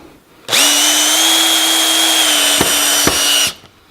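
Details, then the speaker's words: Cordless drill with clutch at 16, its maximum, driving a screw: steady whine never ratchets or breaks off, screw drives right through the timber; clutch never slips, screw overdriven. "if I set the clutch to say sixteen which is the maximum number for this drill type let's just see what happens"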